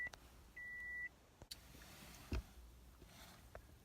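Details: Car that has failed to start before, headlights just replaced: a single clear high beep at key-on over quiet, dash lights flicker, engine never turns over. Owner suspects fried wiring; not confirmed.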